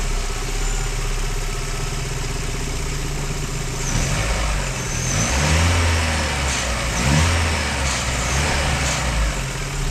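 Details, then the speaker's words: Car with combined MAP/IAT sensor unplugged while running: steady idle then the note wavers and surges unevenly as the ECU runs fixed default air temperature and pressure values; rough running in limp mode. "Por ende el motor funciona así en es"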